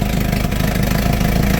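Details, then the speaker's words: Inboard houseboat engine after new spark plugs: loud, raspy, fast-pulsing idle with a harsh chuff on each firing, blowing out the side. "It's blowing out the side. You can hear that exhaust. That makes a lot of noise. That's not good."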